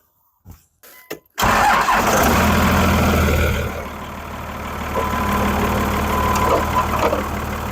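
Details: 2000 Dodge Ram 3500 started after a dash and AC work job, checking nothing falls apart: a few clicks, then the engine catches at once and settles into a smooth, even idle with no knocks or rattles; normal start and idle.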